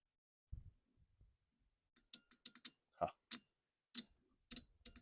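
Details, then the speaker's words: Stiga Combi 53 SEQ lawnmower with lithium-ion battery electric start, failed start circuit rebuilt with a cheap relay and push button: crisp, sharp relay clicks in quick succession on each button press. Relay switches cleanly. "but I need to make that start button now so if everything is correctly connected there should be a like a clicking noise from this relay"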